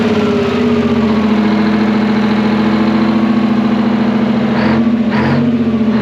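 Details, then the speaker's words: Twin-turbo Detroit Diesel 12V71 generator, revived after sitting abandoned, idling with a deep steady drone and even beat, no longer the fan clattering against its guard; normal idle. "dude what a sweetheart of a motor sounds way better than a fan clattering around on it much better"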